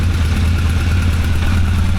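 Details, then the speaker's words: 1985 Honda CB1100F four-cylinder stored about 20 years, after carb clean and fresh fuel, choke stuck open: restarts right up into a smooth, even idle with no misfires or knocking; fuel leak noted. "So, we're going to try again. Start it up. Starts right up. No problem."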